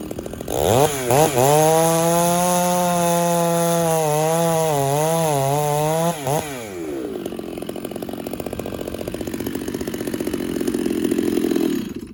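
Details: Chainsaw (Husqvarna 394 or Stihl 066) being carb-tuned richer and leaner in the wood. A thin, high screaming tone rises and sags under cutting load with no rich burble. Owner judges it too lean.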